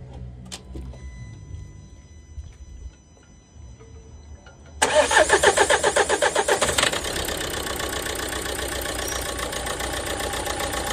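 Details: Renault Megane 1.5 dCi diesel with loss of power; faulty injector no. 3 (confirmed by swapping with no. 2), cleaned in boiling water and refitted: cranks, catches, settles to uneven lumpy knocking idle. Rough idle from faulty injector.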